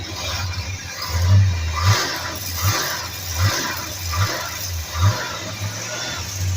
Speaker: I didn't hear a single knock No, or No. anything from No. this engine. no. I'm thinking it's good.